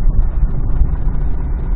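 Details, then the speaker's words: Toyota Celica with a spun rod bearing, sat over two months, tow-started with a dead battery, driven to scrap; deep, lumpy, uneven beat like a two-cylinder, won't hold idle without throttle, misfiring and rough. "Tak, nie chcę trzymać wolnych obrotów, jakby sprzęglam i się będę zatrzymał, muszę trzymać nogę na gazie. Chodzi w ogóle jak dwucylindrowiec"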